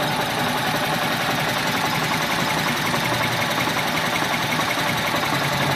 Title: 95 g20 rough idle